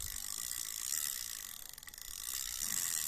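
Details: Used Japanese-made Shimano Aerocast 2000 surf spinning reel, handle turned forward: light, fast, even clicking with no grinding or catch; retrieves smoothly and sounds healthy.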